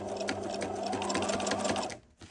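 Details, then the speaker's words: Sewing machine on straight stitch sewing slowly through many layers of upcycled towel, pins still in: quick, even stitching chatter over motor hum with strained tone, machine working harder through thick fabric. "can hear the machine is having to work a little bit harder."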